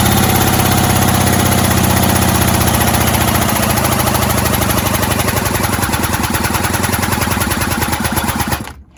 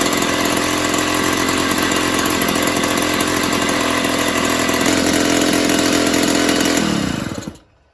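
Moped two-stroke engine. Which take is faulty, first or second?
first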